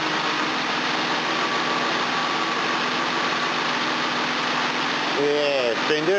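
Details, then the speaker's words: V12 engine in rain, with good spark, injector pulse and fuel confirmed: even starter drone for about five seconds, then the pitch wavers without the engine catching; a long-cranking hard start, and the owner suspects flooding from leaking injectors (unconfirmed). "Um, it's just being a bloody [ __ ] to start sometimes. I think it's flooding like an injectors. It's pissing fuel in where it shouldn't or something."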